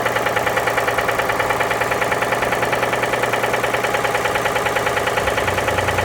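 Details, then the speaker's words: Ford Edge engine found out of timing: loud regular metal-on-metal knocking at idle, about two to three hits a second, right over the engine; serious internal knock, suspected seized engine, teardown needed to confirm. "mas esse carro tinha um barulho, um ruído muito forte de metal, metal."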